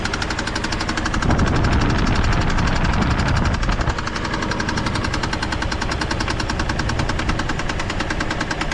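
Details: GMC Envoy: steady light ticking about four per second over a rough idle, seeming to come from the top rather than the bottom; owner unsure, doubts a thrown rod, plans to pull the valve cover.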